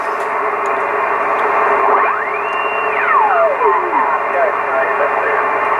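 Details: Yaesu FTDX 560 vintage transceiver on 40 meters with antenna connected, noise peaked: steady band hiss with a whistle sweeping up and back down while tuning; receiver alive, normal receiver band noise.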